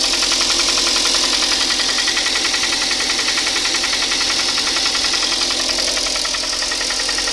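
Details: Hyundai ix35 at 64,000 km, Shell 5W30 changed every 7,500 km, at idle: sharp regular tapping knock about three and a half per second; piston slap from scored cylinders 2, 3 and 4, engine replaced under warranty.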